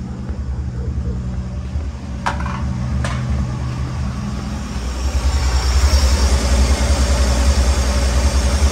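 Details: 1965 V8 after turn-signal switch and wiring repair, on choke after start: steady, even low rumble with a smooth regular beat that firms up as revs rise; later just over 190 degrees, charging 14 volts.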